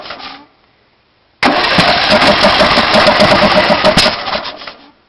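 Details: Briggs Intek 18.5 HP on DYT4000 riding mower: rough uneven cranking about three beats a second, popping without catching then dying; runs a minute on starting fluid when cold, then only backfires through carb.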